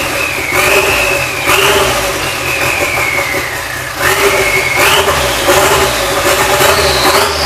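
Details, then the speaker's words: Nissan Sentra GA16DET turbo, first start after a head gasket replacement with fuel pump and SAFC on: several quick throttle blips, revs climbing and dropping back cleanly with no stumble or knock; runs normally, timing seemed on point. "Bargain. She runs. Yep. So the car ran pretty decent, it seemed like."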